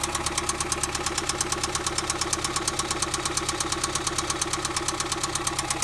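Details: 1991 Mazda Miata, 200k miles; a sharp, steady metallic knock over a slightly rough idle, at first taken for the common HLA tick; rod knock from a spun bearing.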